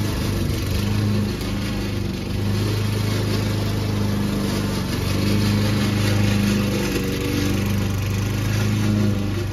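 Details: Old Toro Recycler mower, binaural recording, cutting Kentucky bluegrass under load: a steady engine drone with a rough, rattling clatter from the drive system, making a racket. The noise problem was later solved with WD40.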